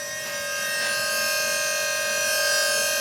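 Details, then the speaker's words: 3-rotor Mazda RX7 FC drift car with a newly fitted electric power steering pump feeding the rack, ignition on: loud, steady, high whine at one pitch like a jet spooling; unclear whether this is normal. "i don't know if this is normal for this to sound like a jet about to take off but when i turn it off it literally sounds like a plane"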